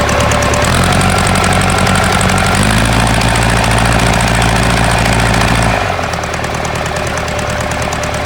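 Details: Ford 4040 industrial diesel tractor before injector rebuild: lumpy idle with uneven stumbling knock about three per second, puffing smoke; misfire from faulty injectors, number two streaming fuel instead of atomizing, one or two others also weak.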